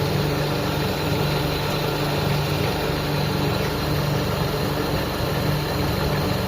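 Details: Out-of-tune, hard-starting carbureted car engine, not overhauled, while the carburetor mixture screw is turned: steady low idle hum with a faint pulsing, no clear misses; rough idle during carb adjustment.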